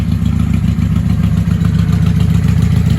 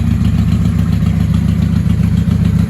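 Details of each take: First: 1995 Honda Shadow VLX 600 VT600CD with a stage 3 jet kit, open exhaust and K&N filter, run on auxiliary fuel after petcock cleaning; carbs may need syncing. Loud, even V-twin beat without misses; running healthy. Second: 1995 Honda Shadow VLX 600 VT600CD, stage 3 jet kit, open exhaust, K&N filter, charged battery, auxiliary fuel: lumpy V-twin idle hunting unevenly, won't sit idling; owner suspects carbs need resynchronizing.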